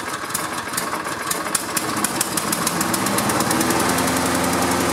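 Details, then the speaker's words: Walk-behind lawn mower small single-cylinder engine after tune-up, restarted after being tipped over (may flood carburetor): steady even puttering beat that firms slightly, no misses or knocks; runs normally. "now when you tip your mower over like that it may take a few more pulls to get it started because it floods the carburetor"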